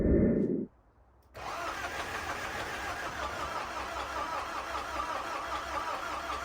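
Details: Zetro 5718 diesel parked about five years, excess fuel button freed: starter labours briefly, a pause, then the diesel catches and settles into a steady, slightly uneven idle; hard starting after long storage.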